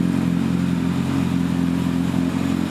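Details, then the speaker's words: Budget motorbike after valve clearances done and cam chain tensioned, said to be a bit low on power, sounds better than before: even, steady mid-pitched beat, no tapping or clatter at idle; normal running. "be fair, it doesn't sound as shit as it did before. Well, no, because it's had all the valve clearances done."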